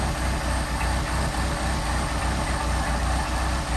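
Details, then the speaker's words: Mercedes 190SL with rebuilt twin Solex carburettors on a test air log, warm: smooth, even idle at about 800 rpm with a steady beat and no misses, to be lowered to 750 via idle screws; healthy idle. "Well, right now we're running 800 on the idle, which is just about right."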